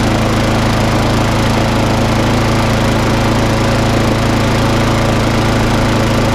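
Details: Briggs and Stratton lawn mower, previously failing to start and running very rough due to bad fuel in the tank, run up after a quick repair; steady even buzz, no misses or surging; normal running.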